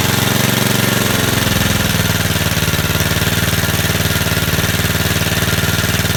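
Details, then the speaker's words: Vintage Cooper Klipper mower with an old points-ignition flathead Briggs, just started on choke after years of storage. Loud, even pops at about four per second settle into a steady beat; running smoothly and healthy. "but after all those years you see how smooth that runs"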